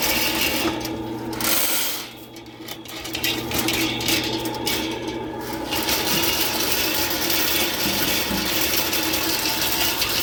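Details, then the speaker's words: Sewer line that was cleared three weeks earlier, backed up again and full of scale (hydrojetting recommended but declined). Drain cable gives a steady high rasping scrape and uneven chatter over a low motor drone while cutting through scale, until cleared. "3 weeks later, it's backed up again. I told them it's full of scale, they need to hydrojet it."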